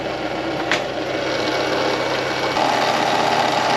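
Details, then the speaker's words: 1999 VW Golf MK4 idling with replacement alternator: fast light ticking rattle and faint whirring tone riding on top; engine hasn't sounded right since replacement, owner suspects the new alternator and plans a belt-off test. "It's not supposed to sound like that. Since I've replaced it, the engine has not sounded right. I think it's the alternator, but I could be wrong."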